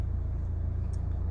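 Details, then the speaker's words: Chevrolet Malibu (Mando 4-piston calipers) reversing and stopping, after repair for judder when braking and a reverse brake squeak; pads worn in three months by hard driving; low rolling rumble, no squeal or screech; brakes quiet. "바꾼 를 점하고 있는데 소음이 없죠"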